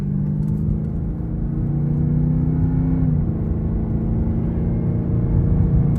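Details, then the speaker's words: Cadillac STS after replacing original factory coil packs and spark plugs: smooth, even engine note with a steady low drone that holds speed cleanly, no misfire stumble or ticking; running healthy. "Oh my God, you can hear her. She's running like a champ. I'm so excited."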